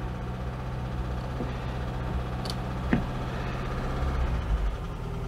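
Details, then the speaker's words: 1992 Oltcit petrol engine after carburettor work: steady low even idle, no knocks or misses, left ticking over while the car is washed; healthy tick-over. "and i've left it ticking over here and while i wash it"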